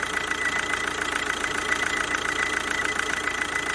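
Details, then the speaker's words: Kia Ceed 2.0 CRDi 140 hp diesel idling with a steady high squeal pulsing about 3.5 times a second. The rollers, alternator and AC compressor bearing were already serviced. The cause is a leaking vacuum pump on the alternator that runs in oil. "idę odpalam i poczekamy chwilę aż zacznie piszczeć nie wiem co prawda jak kamera będzie przenosiła wysokie dźwięki boiski są wysokiej częstotliwości jeszcze piszczy"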